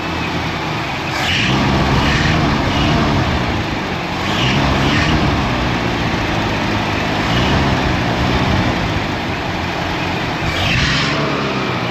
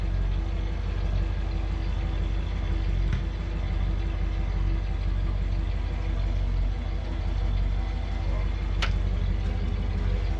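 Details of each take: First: 1974 Ford Ranchero 500, carbureted 351 Cleveland, cold: rough uneven running swelling every couple of seconds as throttle is held to keep it alive, driven two-footed with brake and gas; choke not working right, smoking. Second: 1974 Ford Ranchero 500, 351 Cleveland V8, 49,000 miles, warming up, temperature gauge rising: steady even low idle rumble, no knocks or misses, purring; smoking, believed burning off oil.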